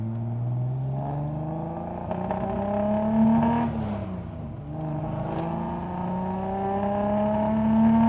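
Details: 1973 Datsun 240Z, back on the road after 2+ years, low on gas; engine pulls cleanly through the gears, pitch climbing smoothly and dropping at each shift, no knocks or rattles; sounds healthy.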